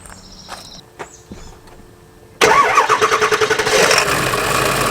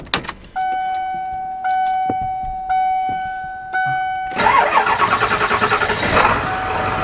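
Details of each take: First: Ford 7.3 diesel van at idle: diesel clatter with a rhythmic chattering wobble about three times a second from the vacuum pump; bad bearings in the vacuum pump pulley, pump to be replaced. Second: Ford 7.3 diesel van after vacuum pump replacement and serpentine belt refit: a few warning chimes, then the engine catches and settles into a steady, even idle with none of the earlier noise. Normal start and idle.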